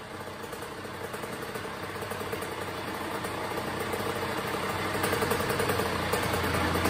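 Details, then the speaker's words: 2001 Honda CR80 two-stroke after a tune-up; its knocking had been traced to a loose motor and pipe: low, steady idle, even firing about three and a half beats a second, no knocking; now idles smoothly and lower than before. "nice low idle it's not too high like it was before you know what I'm saying there's one thing about a bike man you want your bike to idle real good you know nice and smooth and a nice low idea"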